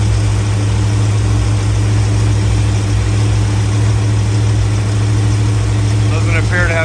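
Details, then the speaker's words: 1984 Corvette V8 idling after new starter and new pre-cut spark plug wires: steady, even low rumble with no skips or misfires; running smooth. "So it seems to be running nice and smooth. So yeah, it looks good. It sounds like it's running nice and smooth."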